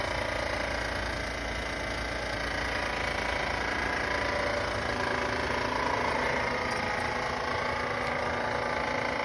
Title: Weird noise from our van..